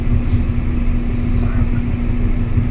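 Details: Kenmore dryer after a fix for loud clicking noise, with new drum wheels fitted: a low, soft drum rumble turning evenly with no squeal or clicking, running smooth like new.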